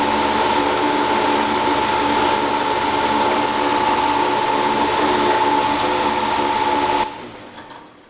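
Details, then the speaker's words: Old fan motor removed from a heat pump as bad, run on a bench after a new motor for comparison: abnormal noise at start, then a steady high whine over a rough buzzing rattle, then it coasts down. Worn motor bearings; the start noise is the main giveaway. "you could hear an obvious uh abnormal noise when it started up and then when it got to running there's a little wh I don't know if you can pick it up or not with this little microphone but it's making a wine but the biggest giveaway is that is that start noise"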